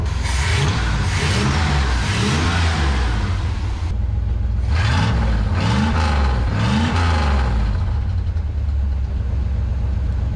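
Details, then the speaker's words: 1976 GMC Sierra pickup, old 350 V8 revived after sitting, smoking and temp gauge rising while warming: deep, even rumble with slightly deeper exhaust note, climbing and falling cleanly on throttle blips, no knocks or misses; sounds better revving, normal. "sure sounds better when you're revving it up, guys. I'm actually pretty happy with how that sounds."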